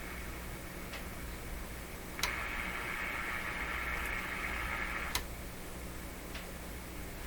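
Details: RCA Victor A38 shortwave tube radio during Magic Eye tests: soft hiss with irregular sharp clicks and raspy mid-high noise rising for a few seconds, apparently linked to touching a knob; spurious noise.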